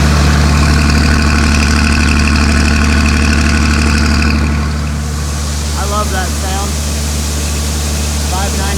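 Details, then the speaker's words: Combine harvester diesel at steady idle during bean harvest: a deep, even clatter with regular firing pulses and no knocks or misses. Normal diesel idle. "all right enough talking about how much i like how my tractor sounds"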